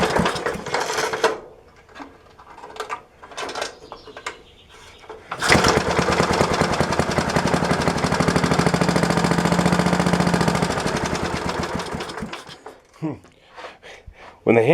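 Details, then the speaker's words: 1966 Briggs & Stratton lawnmower, unrun for 15-20 years, started on premix poured down the carb: pull-cord rattle, then rapid chatter for several seconds before dying. It fell off its blocks, and a pulled-over cable grounded out and shut it off. "fell down it uh pulled the cable over and shut it off so it was grounding out that's why we weren't getting it started here"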